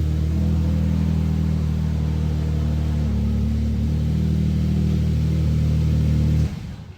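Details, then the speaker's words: Suzuki Jimny turbo returned to stock airbox, turbo-to-airbox hose, intake pipe and vacuum line, blow-off valve removed: even low engine drone at steady revs, cut off cleanly with no whoosh or hiss; normal rev. "There it is. No more whoosh."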